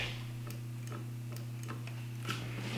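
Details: 2019 Ski-Doo Backcountry XRS, newly installed replacement brake micro switch after old one broke: crisp light clicks at uneven intervals as brake lever works, over steady low hum; new switch actuates cleanly.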